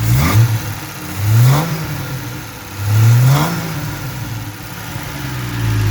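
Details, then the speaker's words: 1972 Triumph TR6 six-cylinder after an engine rebuild and fuel pump change, carburetors balanced but reading lean even at full rich: three clean throttle blips, pitch climbing smoothly and settling to an even idle; consistent power, sounds healthy. "Having nice consistent power. The farm are making sure that all works. She sounds great."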